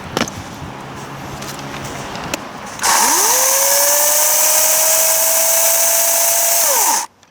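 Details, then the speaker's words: New 60V battery chainsaw without chain brake, test cutting, thick bar oil not yet feeding through: motor spins up to steady high whine with hissy chain rasp about four seconds; chain sounds too tight and not oiling yet, suspected. "of sounds like it's way too tight though but sounding better but I don't think it's oiling yet"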